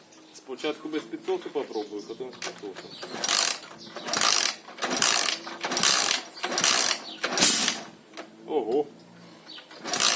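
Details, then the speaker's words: Alfa Lux 110cc moped that won't start: fuel and spark are present, valves have been adjusted, but there is still no compression. Even, hollow crank strokes about once a second with no compression pulse or firing; a bent valve or head fault is suspected. "Щось не хоче він запускатися. Клапана відрегульовані, але все одно компресія в нас не з'явилася."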